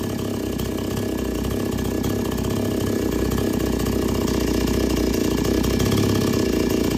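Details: Chainsaw that wouldn't take load, after resetting H and L screws (full tight, then three turns out): steady busy two-stroke drone holding and building slightly while cutting under load, running cleanly.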